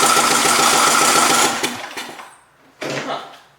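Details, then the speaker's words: John Deere LA115 lawn tractor, free and run as-is without removing the carb, clatters fast and rough, then cuts out with sharp pops as it sputters; backfiring, though it has good compression. "backfiring. I mean, it really, it's got good compression."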